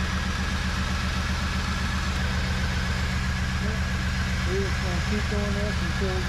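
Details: 1994 Chevy Camaro Z28 5.7L LT1 V8 after Optispark distributor replacement and coolant bleed: even, steady low rumble with regular firing pulses, no misses or knocks; idling smoothly.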